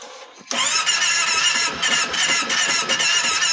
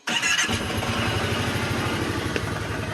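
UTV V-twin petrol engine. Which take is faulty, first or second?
first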